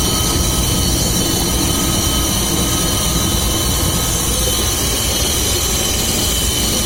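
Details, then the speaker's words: VAZ classic (2101-2107) on lifted car, engine running; steady dense hum with low rumble and whistling tones from worn rear axle shaft bearing, heard clearly on that side; differential replaced earlier but noise remained. "Такой гул вот издается, надеюсь, слышно. Это от барабана одно, а вот и вот тут хорошо, когда руку прилаживаешь, главное на кардан не намотаться."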